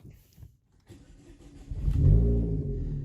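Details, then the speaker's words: Vauxhall Insignia started at night after a head gasket replacement: short crank, catches at once, flares briefly and settles into an even idle, a healthy start. Temperatures stayed fine on an earlier road test. "so we're going to start it up now so you can see it starting up straight away again"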